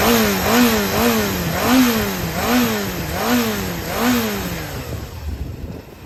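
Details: Yamaha XJR400 4HM early engine assembly, compression tested, start-check run: blipped about eight times, revs up and drops back cleanly with no knock, tick or rattle before shutting off; no abnormal noise.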